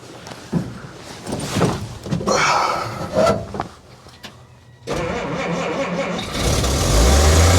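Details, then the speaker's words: Old Willys, cold, with the air cleaner off and the choke held down by hand because the choke won't hold (needs a choke cable). Uneven cranking and sputtering finally catch into a rough, rising run that needs choke until warm. "it's an old truck it's got to warm up a little bit you keep letting off the choke so quick"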